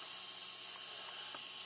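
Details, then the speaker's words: MFJ-4275MV switching power supply: a constant high frying hiss with no rhythm while the unit is on; bad capacitors suspected. "yeah you guessed it this power slide is suffering from bad capacitors or bad capacitor so yeah let's turn it off before it explodes"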